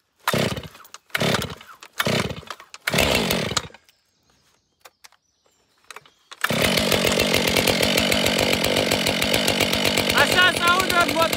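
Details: New, unused Stihl 462 chainsaw with standard 45 cm bar, first start after fueling: fires after a few pulls and runs a crisp, steady two-stroke buzz at even speed; healthy.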